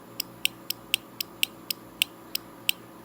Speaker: i don't know if you can hear that clicking but it actually uh does click physically move a switch in there and complete the circuit